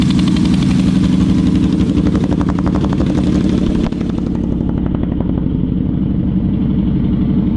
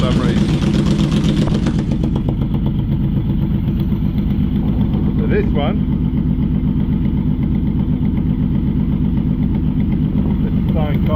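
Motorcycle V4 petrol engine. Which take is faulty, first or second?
second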